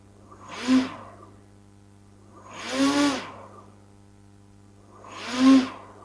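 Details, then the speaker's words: Two brushless motors wired to one ESC (speed controller): three slow swells of motor whine, each taking about a second to build and fade; sluggish response to the throttle knob. "because there is also something that I am feeling here is that they take in respond with acceleration see how I give this knob and how long it takes react the engines"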